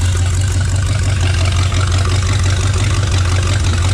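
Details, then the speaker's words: Rat rod freshly rewired with rebuilt transmission just installed, fired up after fuel pressure adjusted: pretty loud, deep steady low rumble with even beat, no knocks or misses; normal healthy idle. "Tree rod's running, guys. It's pretty loud. Pretty awesome. It's all rewired. It's all working good."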